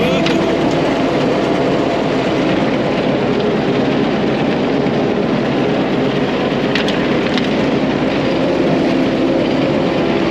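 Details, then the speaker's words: About 100-year-old Caterpillar grader, after fitting a $55 part, grading with the blade preloaded and some dirt in it. Old engine keeps a steady, even chug with no popping, misfire or bogging. Normal running under load. "all right well so far she's not popping it's still pushing pretty good"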